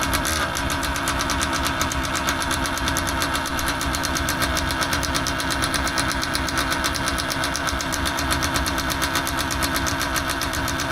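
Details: Paramotor two-stroke engine after new carburetor membranes fitted: buzzy uneven idle with ragged stuttering beat at low revs, tends to die; owner suspects carb needs adjusting; cause unconfirmed.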